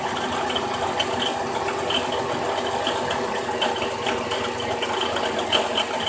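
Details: 2006 Dodge Grand Caravan SXT 3.8L idling: dry ratcheting rattle and light metallic chatter on top of the engine; bad alternator bearing.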